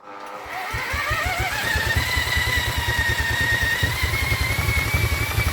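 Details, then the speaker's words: Vintage Douglas engine, 40 years under a hedge, spun by electric drill after carb jets cleaned: steady churn about two turns a second with occasional firing that never takes; suspected flooding. "she is definitely definitely trying to go for us isn't she he's definitely trying to go for us"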